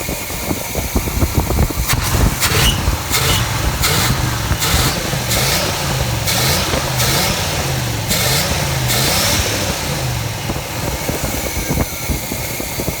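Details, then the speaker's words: 1984 Chevrolet Caprice station wagon with a 350 V8 after a tune-up for misfiring, idling with a loud, raw, uneven exhaust burble from bad mufflers; the motor itself sounds strong. "Got some bad mufflers on there. We gotta get them off there."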